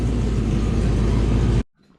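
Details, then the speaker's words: Project 4TO8 V8 on its first-day restart, check engine light on: deep, strong rumble under a throttle blip with no knocks or misses; engine sounds healthy. "check engine light on but that's pretty amazing guys rev it up a little bit so you can hear it not too bad at all"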